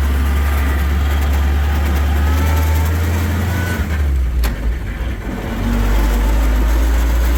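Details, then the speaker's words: 1941 Dodge WC-6 after transmission rebuild with new seals and input bearing: test drive in second gear on bumpy dirt road, steady low engine drone with no whine or grinding from the gearbox; sounds healthy. "All right, moving along in second gear. Got a few bumps. Dirt road, but everything sounds good."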